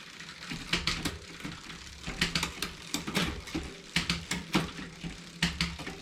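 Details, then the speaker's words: 2020 Specialized Fuse 27.5+ with Shimano Deore Shadow Plus 10-speed rear derailleur, after barrel adjuster indexing: crisp single clicks per gear over light chain ticking, no grinding or skipping; shifting clean. "Now it's shifted smooth. Now that we've shifted all the way up to everything but the last gear, let's run back through to make sure everything sounds right."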